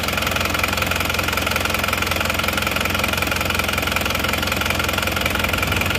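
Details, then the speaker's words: Isuzu Panther diesel, just started, still cold: steady clatter at an even idle with regular beat, no odd knocks. Healthy normal cold idle. "awal Masih dingin baru hidupar ya es Oke ini mesinnya sudah hidup sekarang kita coba Sebentar ya"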